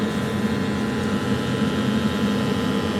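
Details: Oil-fired boiler burner on service, fan speed raised from 57 to 59 to tune combustion toward about 13 percent CO2 and 3 percent O2; steady low hum with constant fan roar, no pulsing or popping; firing cleanly.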